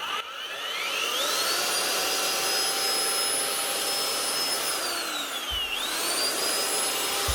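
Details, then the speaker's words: Bosch GRW 12 E mixing drill after cleaning and replacing four bearings plus a needle bearing (previously bad bearings, loose whisk): clean whine rising with trigger, steady, dips and recovers with no rumble or grind; sounds like new. "sounds like a new machine now"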